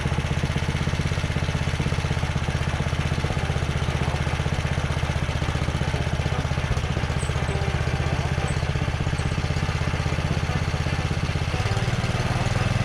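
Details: Carter 2435 go-kart after swapping its 5 hp Briggs & Stratton for a 12.5 hp Tecumseh from a 33-inch Sears Craftsman snowblower, carb throttle clamped. It runs a steady, even single-cylinder putter at fast idle with no stumble or hunting, running normally.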